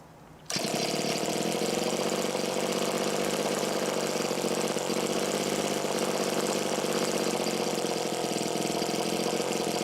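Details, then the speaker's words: Small gasoline DIY DC genset with a Pololu Micro Maestro servo governor, now using a beefier servo and a revised script, run with no serious load: catches and settles into a steady even drone with no hunting or surging; normal running. "I'm just going to start it up and show you. I'm not going to put any kind of serious load on it."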